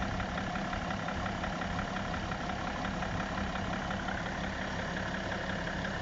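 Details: BMW E60 535d diesel at idle: a loose, uneven knock about twice a second over the normal clatter. The cause is unknown. Engine knock.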